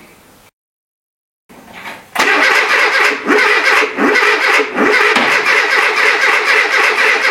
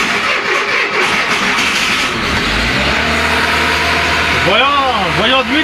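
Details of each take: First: Renault Trafic with junkyard C1J S 7000 engine, unrun for about 15 years, rebuilt and refitted, with start pilot sprayed: after silence, starter cranks in steady rhythmic churn that never catches; owner finds ignition firing reversed, timing completely out. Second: Renault Trafic with scrapyard C1J engine (15 years unused in description), ignition timing shifted for ethanol, not yet fully adjusted: catches straight away and settles into a steady, even fast idle at 1500 rpm, all cylinders firing cleanly.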